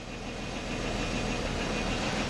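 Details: 2004 Nissan Maxima 3.5 V6 idling rough with an uneven, lumpy beat and occasional single-cylinder stumble; check engine light flashing, P0301 cylinder 1 misfire, seeming to worsen as the engine warms up.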